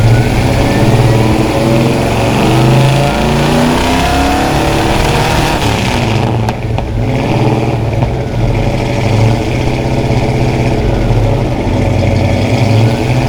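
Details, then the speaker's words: 1972 Plymouth Satellite 318 V8 with new flat-tappet cam and zinc additive, warmed up, throttle blips: deep even burble climbs smoothly and settles back without misses or knocks; normal healthy revving. "let's go ahead and see what this thing sounds like when she uh she sings a little bit"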